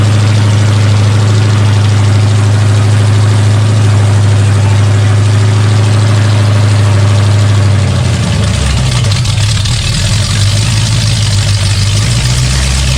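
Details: Rebuilt 454 Chevy big block from a 1973 Chevelle SS, with new pistons, running on a break-in stand: strong even deep rumble settling smoothly lower, no knocks or ticks; engine broken in and healthy, some fine tuning still needed.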